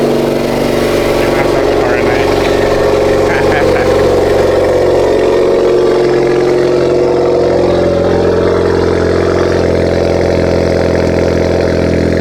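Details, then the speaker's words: 2.0 Honda Accord just after a PRL catless downpipe install, not yet tuned: steady, even cold-start idle with a smooth low drone and no puffing or ticking from the exhaust joints. Normal, no exhaust leaks. "That was a cold start. So far I don't hear no leaks, so I don't hear any leaks at all."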